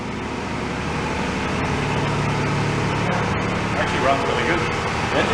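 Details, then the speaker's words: Toyota Tacoma 4x4, parked five years ago because of running issues, being brought back to life: a steady, even idle that settles out with a low hum, though with a slight stutter. Normal idle. "yeah sounds nice i'm surprised it's settling out"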